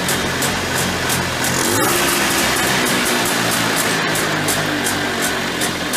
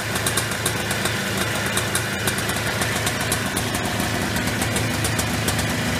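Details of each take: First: Early-1990s Polaris Trail Boss 250 two-stroke ATV with a clean carburetor: buzzing, raised, hunting idle that hangs and winds out after throttle release. This suggests an air leak from the flywheel-side or clutch-side crankcase seals (suspected, intake boot believed fine), before seal replacement. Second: Early-1990s Polaris Trail Boss 250 two-stroke quad, first start after replacing crankcase seals for a suspected air leak: steady, busy idle with even crackle and no hunting or surging. Runs healthy after the repair.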